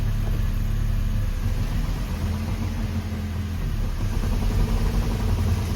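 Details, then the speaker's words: BMW Z3 1.8/1.9 after replacing the clutch, dual mass flywheel with a solid unit, the gearbox and the starter, on a lift in gear: steady low engine drone, wheels turning freely, no grinding, whine or clunks; healthy. "No horrible noise from the gearbox. Just no horrible noises in general."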